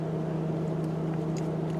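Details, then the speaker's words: Chevy Silverado idling after the battery, coolant temp sensor and oil pressure sensor were replaced, with the check engine light now off. A steady low drone is heard as the cooling fans run at idle; the owner notes a known fan issue, cause not confirmed. "Although I can hear my cooling fans going. There is an issue with these where the cooling fans won't turn"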